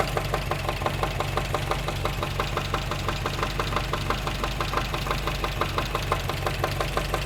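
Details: Engine knocking noise at idle on a 1954 MG TF, which the new owner only recently noticed: a sharp, regular tapping about three per second over the engine; source still being diagnosed.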